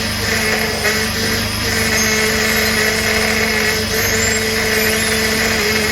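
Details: 2004 Jeep Liberty just after a high-pressure power steering hose replacement, running while the system is bled by turning the wheel side to side: a steady droning whine at constant pitch. This is the pump groaning from air still in the fluid.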